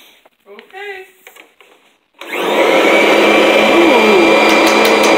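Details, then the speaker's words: 2011 Kirby G10 Sentria upright vacuum, out of storage, just fitted with a fresh belt: motor spins up fast into a steady, even high whir with no rattle or slipping squeal; healthy, a bit louder than older Kirbys. "Okay. Sounds healthy. It does run a little louder than the older ones do, but that's all right."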